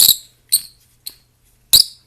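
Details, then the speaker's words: Garage door roller, turned by hand: turns stiffly with four sharp high squeaks; bearings shot, no longer rolling. "you still turn you can hear the bearings in there just having a good old time this one i think the bearings are shot in that one"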